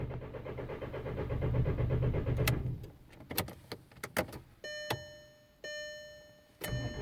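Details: 2003 Volkswagen Jetta TDI with a crank-no-start: about three seconds of steady low cranking pulses, roughly three per second, never catching, then warning chimes.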